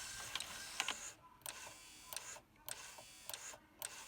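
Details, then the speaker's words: Denon DN-2000F MkIII CD player tray mechanism: the small motor whirs in bursts with squeaks and clicks as the slider jams. Owner first suspected it needed grease, but the cause was a loose pulley, fixed by replacing the pulley. "I just need to grease this I can hear it squeaking so that's what needs to be fixed"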